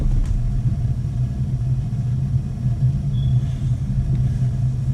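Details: A.O. Smith gas water heater with spark ignition and pilot that keeps going out: after relighting, a low steady roar with no popping or sputter as the main burner fires normally.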